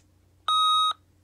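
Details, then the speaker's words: Opus T1 volume control after cleaning with WD-40 spray: one clean, steady beep of about half a second with no crackle or scratch, where it crackled as soon as it was turned on before cleaning; much improved. "there you go guys remember when it turned out before it was making a crackling noise like this as soon as i turned it on so now very improved"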